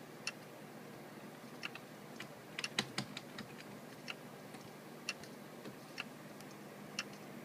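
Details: Seagate FreeAgent external hard drive with a quiet hum broken by sharp, irregular clicks every half second to second. The noises happened last year and returned; owner suspects the internal drive is failing, not confirmed.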